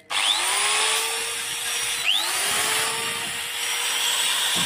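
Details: Electric drill with a 2 A Schneider breaker and a 50 µF/450 V anti-trip capacitor made from used AC capacitors. Winds up to a steady high whirr, dips once under load and recovers without stalling. Normal running.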